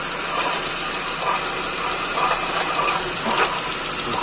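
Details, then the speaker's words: 2006 Ford Focus 1.6 at idle: a dry, gritty whirring with light ratcheting chatter over the engine. Water pump bearing noise, before the water pump was replaced, which cured the noise. "Então galera eu tocozinho é 1.6 que tava com barulho na bomba já foi trocado"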